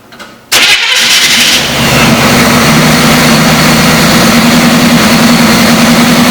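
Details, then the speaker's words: 1973 Chevy Camaro engine, first start after sitting about 9 years, crank-no-start fixed with starting fluid: catches right away with a brief rev, then smooth steady idle, no misses or knocks; no oil pressure gauge but sounds healthy, later died. "H overall sounds really good though and it idle really well so"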